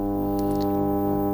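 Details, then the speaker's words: Ferguson TX90 TV/monitor before repair, switched on with the mains transformer live: a loud steady low hum of fixed pitch that the volume control can't turn down, with a hum bar on screen. The 85 V rail reads fine; the fault was later traced to a failed 12 V regulator outputting 16 V. "We can turn that off, get rid of that noise. So we've got 85 volts across there, but we've got a loud hum on there."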